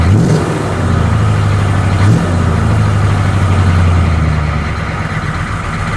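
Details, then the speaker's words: 1985 M1028 CUCV (diesel K30) with GM 6.2L diesel after a custom 3-inch two-into-one exhaust with a 3x24 free-flow muffler: deep, steady rumble with a short throttle blip. The new exhaust sounds solid and free of rattle. "oh that sounds so good i can smell it new exhaust pipe like a new car"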